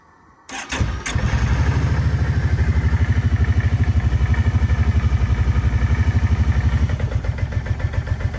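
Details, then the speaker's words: 2011 Kawasaki Brute Force 750 before repair: starts and settles into a lumpy, uneven idle of about four beats a second with wavering level, tends to die at idle but fine with throttle; owner suspects the idle air control valve. "so let's see if we can fix that really rough idle. And it seems to constantly die too if you're just idling, but when you're giving it any throttles, it's just fine."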